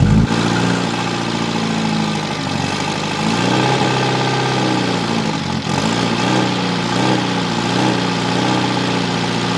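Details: Mitsubishi Evo 8 turbo four, first start at night after rebuild following a melted, leaned-out piston: smooth, even idle with a steady hum and no knocking or ticking. Healthy running.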